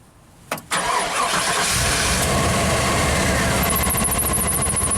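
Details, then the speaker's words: 1995 Pace Arrow Coronado motorhome on Chevy truck chassis, stalling after rodent damage and generator-shop repair; starter clicks, engine catches to a rough idle with faint high whine, then dies under a heavy electrical draw: engine stalling after start. "Put this on here. Clicked. And it died."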